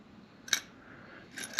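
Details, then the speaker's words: Panhead carburetor on the bench during cleaning: float lifted by hand scrapes against the bowl in two brief rasps and sticks because it is set wrong, causing the bowl to overfill; float needle also grooved and being replaced. "If I lift the float up, it'll stay right there. Gets stuck on the bowl. Stuck right here because they don't have it set right. stuck. You can hear it scraping."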